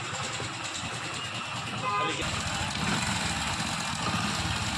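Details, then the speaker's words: Hero HF Deluxe motorcycle engine running: fast, uneven, loose metallic clatter over the engine, a very bad rattling noise; timing chain is suspected and is to be opened for inspection. "ये देखिए friends, आप लोगों ने देखा कितने बुरा sound हो चुका है इस गाड़ी का। बहुत ही बुरी तरीके से खचर पचर की आवाज़ आ रही है।"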